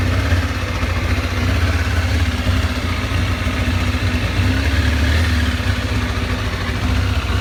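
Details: 2007 Kawasaki ZZR600 (Ninja 600), new to owner, idling with a lumpy, uneven low rumble whose beat wavers rather than staying steady; rough idle, cause not yet pinned down.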